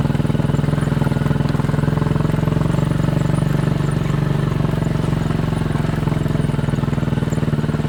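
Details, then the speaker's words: 200cc Chinese Honda-clone quad bike that used to miss and stall once warm, after new spark plugs and a 10-minute ride: a steady, even single-cylinder thump with no misses or stumbles; normal running, considered fixed. "Just been for a 10-minute ride around the joint and it's going all right, so I think we can call it fixed."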